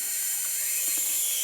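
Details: Ancel SP-02 spark plug tester with clear cover open, firing plugs: sharp, high hissing crackle from the gap, steady and strong with no dropouts; plug firing normally.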